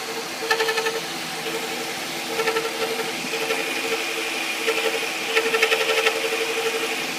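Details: 2000 Ford Taurus with the Vulcan engine (VIN U), hot idle: repeating short chirps about four a second plus a thin scrape, heard only hot at idle and not when driving. The cam synchronizer was replaced to rule it out; the transmission is suspected, unconfirmed.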